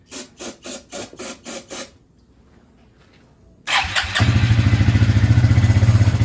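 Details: 2000 Suzuki Quadrunner 250 4x4, 603 miles, sat about two years, on choke with brake cleaner sprayed in the airbox and a jumper at 2%: about seven slow starter cranks with no firing, a pause, then it catches into a rough, pulsing run; hard starting.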